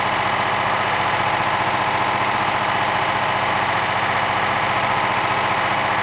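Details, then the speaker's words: Old BSA stationary single-cylinder engine from an estate sale, after repair: steady, even beat around 220 a minute, no misses or knocks; motor and carburetor in excellent condition for age, running cleanly. "the condition of the motor is fantastic the condition of the carburetor is amazing for the for the years for its age"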